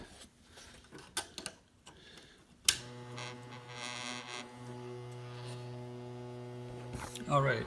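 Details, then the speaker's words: Crosley BC-654A receiver fed 12 V through its power connector: after a few clicks the PE-104A vibrator supply settles into a steady even low buzz, after adding 10 µF capacitors to cut the 84 V B+ ripple; running normally. "I don't have the transmitter working yet and you can hear the vibrating power supply album"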